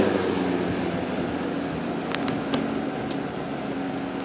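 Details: 1958 General Electric twin window/box fan, restored, started on high speed: a smooth, steady whoosh of air with a constant low motor hum and no ticking or rubbing; the fan runs healthy on high.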